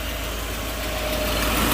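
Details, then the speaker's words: Volvo 740 after new belts, oil filter, full new exhaust and new fuel pump: smooth, steady idle with a low even hum and only the cooling fan whirring; no ticks or rattles, healthy engine. "But it's uh sounding a lot nicer. Sounds like a Volvo again where all you can hear is the fan."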